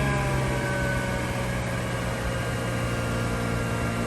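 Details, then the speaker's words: Mazda RX-8 after de-flood procedure, long no-start, owner suspects fuel trims were forgotten, some smoke: fast, buzzy idle with an uneven, stumbling pulse; rough high idle. "um it hasn't been starting so long correct if i'm wrong but it probably forgot its full trends"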